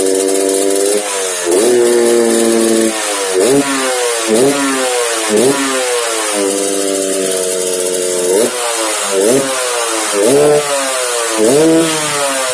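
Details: Yamaha RX King two-stroke with rising and falling revs, a hoarse, rattly snore riding the exhaust note on each throttle blip; snoring noise when revving, carburetor noted slightly wet.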